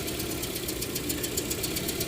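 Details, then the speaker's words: 2009 Toyota Matrix 1.8L, runs rough and hard to start after dealer timing chain tensioner and spark plug work, idle cylinder-kill test: fast steady ticking over slightly uneven beat; cylinder 4 drop worse, 3 bad, 1 and 2 slight — pointing to compression issue. "four gets worse three's kind of bad two there's a slight difference and one there's a slight difference so that's kind of confirming [Music] our compression issue"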